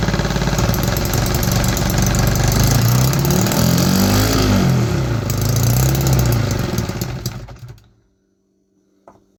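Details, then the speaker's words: 3D-printed 125cc two-stroke engine on starter fluid: raspy buzz swelling and falling about six to seven seconds then cutting out abruptly; runs briefly then dies, fueling problem. "It started on starter fluid. It ran for like 6 seconds."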